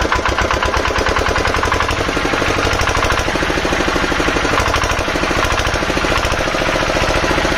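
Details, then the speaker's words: Field Marshall 5 HP single-cylinder diesel after tappet (valve clearance) setting: steady, even beat with clean, regular firing and no knock or tapping. The engine runs healthily. "ऐसा कोई दिक्कत है नहीं इसमें बेहतरीन चल रहा है"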